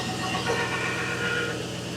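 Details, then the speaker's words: V8 started before winter storage, weak battery: even idle with faint steady whine and light rasp up high; owner says it is definitely the alternator, noisy, replacement planned. "I think we are looking for an alternator next year. That's kind of noisy."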